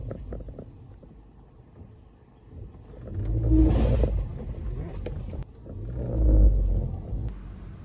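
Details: Ford Grand C-Max pulling away on a very slight incline: low rumble with two swelling whoop/whine sounds; the cause is unknown and the selling garage could not replicate it.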